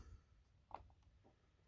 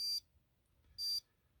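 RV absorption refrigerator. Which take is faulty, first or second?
second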